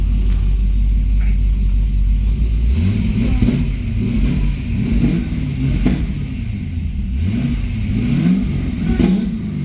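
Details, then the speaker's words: Supercharged C6 Corvette on the lift, just started after build, fuel pressure about 52–56: deep V8 idle rising into several smooth revs and falling back, steady and even, no knocks or rattles; healthy free rev. "there it goes here close it's not obnoxiously loud which is good"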